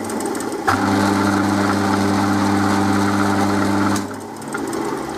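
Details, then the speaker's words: Drill's motor-driven pulley with a large bolt in it, believed also loose on its shaft; same noise with the belt off: steady motor hum with a fast rhythmic thrum about 3.5 per second. Pulley imbalance and looseness. "that pulley is got that huge bolt in it which puts it out of balance but I think it's also loose on the shaft just listen to"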